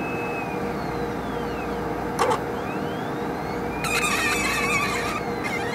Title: 2 minutes of relaxing sounds from a squeaky HPLC sample pump